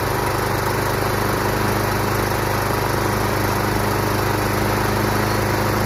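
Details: Craftsman Professional self-propelled mower, Kawasaki 179cc, model 12AE997E099, self-propel pulling right: single-cylinder engine holds a steady even beat at constant speed, no stumbles or rattles; engine runs fine.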